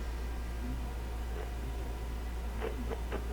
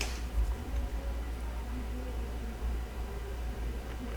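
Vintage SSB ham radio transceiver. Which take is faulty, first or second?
first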